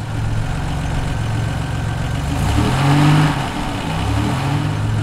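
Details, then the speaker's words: Buick warming up at about 42°F ambient, coolant at 127 and rising: a steady, low, even idle with no lump, the cold-start loping having cleared once the idle came up; fuel pressure check planned; normal warm-up idle. "let's uh let it get up to temperature and then from there we'll see what's going on coolant temperature sensor is reading 127 and counting"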